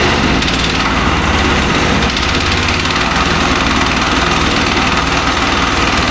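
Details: Mech Maxx SM-22 sawmill's small single-cylinder engine on its first start, after firing on the first pull. Steady, even chug with a rapid firing beat and no misses, knocks or surging; running normally.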